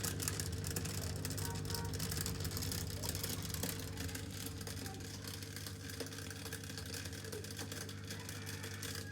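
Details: Miele dishwasher pump at start of wash cycle with a harsh, sandy grinding over its hum, as the pump engages; broken plastic in the sump catching the impeller.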